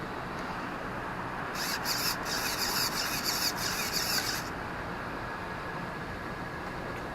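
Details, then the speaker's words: Traxxas T-Maxx 2.5 classic nitro RC truck that will not start: throttle and shift servo sweeps in a short high whirring buzz of about three seconds with quick stops, moving cleanly; electronics confirmed working. "and that is for the acceleration and the shift and that's how when you shift it it goes back so it does work so the the electronics are pretty good condition"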